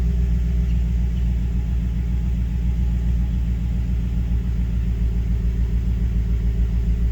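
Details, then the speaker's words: 2011 GMC Sierra 5.3L V8 at idle after oil pressure sensor replacement: deep, even rumble with steady firing, the earlier slight tick and lope gone; gauge now works and check engine light reset. Normal idle. "I mean, seriously, listen to how smooth. Now, like I said, it was running fine after they did all the other maintenance to it, but once they did that sensor replacement, oh my goodness."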